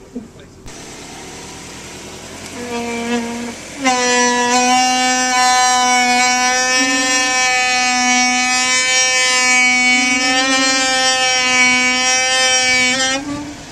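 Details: Rear brakes on a car rolling and braking downhill on a driveway: loud, steady high-pitched squeal with slightly wavering pitch; no noise or drag when reversing.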